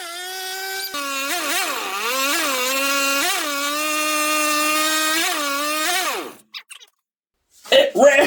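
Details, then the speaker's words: Mini bike small engine, first start after wiring and throttle cable setup: buzzes at a high, wavering pitch that never drops to a slow idle and shakes bolts loose; idle needs adjusting at the carburetor. "I got to figure out how to adjust the idle on it that's what I got to do but it it started it ran"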